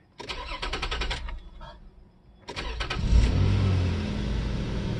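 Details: 2002 Nissan Pathfinder, 109,525 miles, first start after sitting at least 7 years, new battery and fresh gas: starter cranks briefly, catches on second try and settles into a steady, even idle without stumbling.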